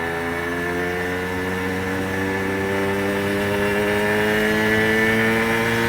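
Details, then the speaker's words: 1990s Aprilia RS125 two-stroke on first test ride: engine pitch climbs under throttle while road speed lags, the clutch slipping badly; power drops off once it reaches the power valve. "Well, it's not completely happy. No, the clutch is slipping really badly, to be fair. You can probably hear it, can't you?"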